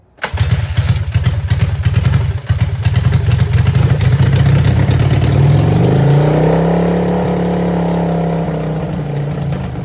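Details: 1978 Honda CB400A Hondamatic 400 carbureted twin, revived after 10+ years outdoors, after carburetor rebuild: catches right away, settles into even, firm beat, revs smoothly and holds; normal running.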